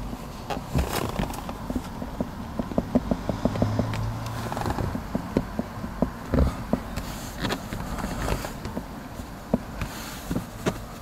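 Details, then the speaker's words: Lexus RX300 second generation dashboard creaking over uneven roads: irregular dry creaks and ticks over low road rumble on bumps, caused by worn dash locating pins rubbing in their slots. "как же меня достало это торпед и которая постоянно скрипит и не ровными дорогами скрипит она вот так"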